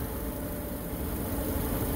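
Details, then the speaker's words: 2010 Subaru Outback AWD engine idling, heard under the hood: smooth, even idle with a soft steady hum, no belt squeal, ticking or other odd noises; healthy engine after a rev test to about 3000–4000 rpm. "okay okay so here we have the engine bay all right very nice very clean engine sounds great"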